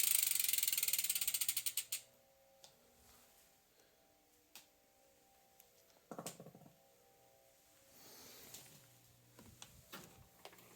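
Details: Pinion C1.12 12-speed gearbox on a Priority 600 bike, shifted into first gear: fast, even ratchet clicking that slows and fades as the crank stops, then light occasional clicks; normal gearbox and freehub operation.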